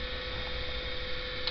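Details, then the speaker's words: Electro-hydraulic power steering (EGUR) pump unit on a bench, driven over CAN bus by a replayed log from a running Paladin via CAN-Hacker: smooth steady hum at one constant mid-pitch tone, no knocking or grinding; motor spinning normally. "ну все понятно все ясно электромотор крутится-вертится"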